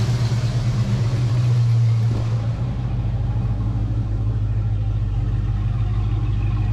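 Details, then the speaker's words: Foxbody Mustang 5.0 V8 with a deep steady rumble holding around 1000 rpm, no hunting or surging. This is right after cleaning the dirty EGR valve, which the owner believes caused the long-standing rough idle and surge. "the idle sounds so much better I'm gonna guess that that EGR valve was my issue and I think I'm Gonna Leave idle right around right around 1K"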